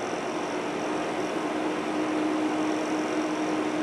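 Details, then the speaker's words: Dell C1100 server with two quad-core low-voltage Xeon L5520s, room low 70s/high 60s: even steady airy rush with faint low hum, no surging or rattles; quiet after about five minutes, thought quieter than owner's storage server; normal fan idle. "it's as quiet as it is right now it took about five minutes to quiet down I'm standing around behind the camera and it's it's hard to determine this sound where the sound is coming from I believe it's quieter than my storage server"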